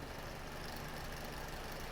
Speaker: it still makes I don't even know if you can hear that but the noise it makes is just hideous